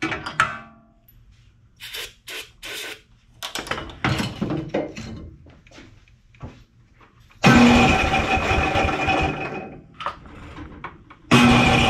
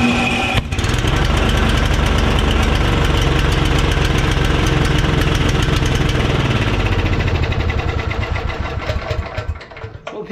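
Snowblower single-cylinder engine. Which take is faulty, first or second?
first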